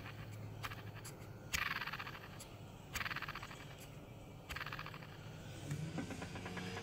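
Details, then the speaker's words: MacBook Pro fans spun by hand after living in abrasive dust; a raspy, gritty whir that fades over a second or so, grinding from dust-worn bearings; both fans need replacing. "this particular one seems like lived in strange dusty environment where this dust is highly abrasive and it actually killed the fans let's see it's a little noisy here but that fan when it turns it actually grinds"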